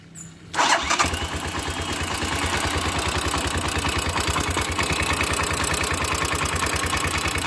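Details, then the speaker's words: Motorcycle engine catching and settling into idle with a sharp, quick top-end ticking about three per second. Valve cover removed: rocker arms excessively worn at the contact point. Worn rocker arms cause the noise. "de entrada como les decía ya observamos la primera falla y ésta de esta falla los balancines andan desgastado demasiado en donde cae y eso provoca el sonido que escuchamos al inicio este sonido"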